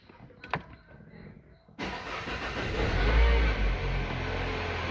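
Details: Peugeot 3008 THP that sat two years, fault P0012, serviced for being out of timing with heavy tappet knock: started after electronic timing confirmation. The starter catches and the engine fires straight into a smooth, even idle with no rattle.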